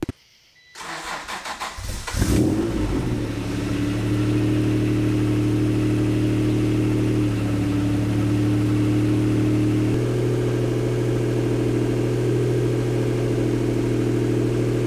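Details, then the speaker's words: 279,000-mile NSX just after swapping old eBay headers for new Pride Group headers: cranks, catches and settles to a steady idle that steps down when warm, with no sewing-machine exhaust-leak ticking; normal idle. "No ticking. All right, well, that is hopefully a job well done. All I was saying, if you couldn't hear me over the car, was that I didn't hear any ticking."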